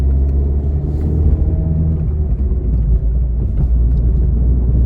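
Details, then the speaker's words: MINI JCW with rebuilt engine, driving after a wheel bearing was replaced: steady low engine and road rumble with no drone or hum rising with speed. Normal driving, bearing noise gone. "Well, I can't hear the wheel bearing. That's a positive."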